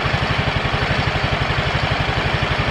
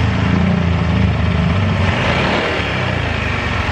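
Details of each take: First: Yamaha automatic scooter, previously rough-sounding and stalling, after pump replaced with an original part: steady, even low putter at idle with no rattle or scrape; the earlier rattling noise is gone, running normally. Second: Yamaha automatic scooter that runs rough and often stalls: rough, uneven idle at about three to four beats a second that sags midway as the engine starts dying; stalling at idle from low fuel pump pressure.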